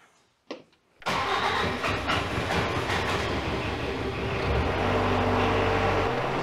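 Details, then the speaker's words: Diesel engine after fixing a fuel leak at the injector caused during a head gasket job: lines cracked to bleed, hard lines repositioned rather than overtightened. Short crank, then it catches and settles into a steady, even clatter with no stumble; leak fixed. "we were able to reposition the fuel line get that lined up a little bit better and fix the leak"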